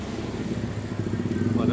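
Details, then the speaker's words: Yamaha RX King two-stroke motorcycle, before repair, owner's complaint of sudden knocking when riding fast: rev climbs with a rapid rattly beat over the exhaust. Knocking traced to the magneto (magnet) rotor no longer tight on its shaft. "Oke teman-teman, jadi untuk ereking ini bunyi seperti barusan, kalian bisa dengar barusan, dan itu keluhannya tiba-tiba lagi ngebut kata yang punya, dan padahal di samping jalan semuanya normal baik-baik saja"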